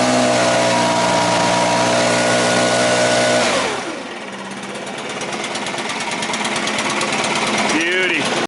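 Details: Stihl BR600 backpack blower after a valve adjustment to fix low power. A steady high-pitched drone at full throttle drops cleanly to a stable idle, running smooth with no stumble.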